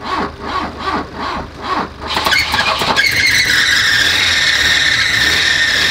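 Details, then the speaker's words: Volvo 244 GLT barn find, parked 20 years: a few cranking beats, then it fires and a loud steady high squeal holds over idle. Belt-related noise from the water pump. "But it sounded like the water pump has some kind of belt related anyway. It was also the pump then."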